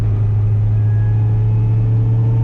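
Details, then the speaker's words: 2005 Corvette C6 fitted with a low-mileage DTE-built remanufactured 2006–2013 differential: a steady whine rides over road rumble under throttle in fifth gear at 50 mph and vanishes when coasting; fresh gear lube only masks it, differential failing. "you can hear that whine as I get on the gas. And light gas pedal, it's air you let off for coast, completely goes away."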